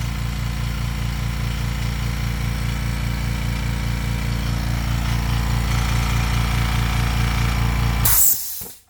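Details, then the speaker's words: Porter Cable 6-gallon 150 psi pancake compressor with steel tank, extremely loud: steady rapid thumping about 2.5 beats per second, even and unbroken until it stops; healthy but noisy, normal running. "okay this thing is insanely quiet okay for the first like 5 Seconds that it's running it's slightly louder but after about 5 Seconds it really quiets down quite a bit okay"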